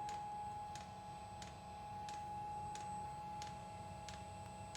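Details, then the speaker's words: Webasto water diesel heater hybridized with Chinese diesel heater parts, first cold start with radiator about 5°, glow plug on: crisp even dosing pump ticks about every 0.7 seconds over a quiet hum; normal startup. "glow plug fuel pump yes well it sounds like it's uh doing something"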